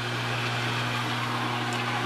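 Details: LG WT1101C/WT1201C washer, pump heard with the control panel opened: steady unbroken low hum as the drain pump keeps running even after the washer is turned off. The owner suspects a firmware/control fault cleared only by a hard reset (unplugging for several minutes).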